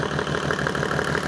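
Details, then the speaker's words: Rebuilt Mercedes OM606 diesel, hot engine, at idle: even, steady clatter with regular firing pulses, no odd knock or miss; oil pressure just below 20 psi on an added gauge, normal. "So yeah, as you can see, the oil pressure at idle is just below 20 psi, and that is a hot engine."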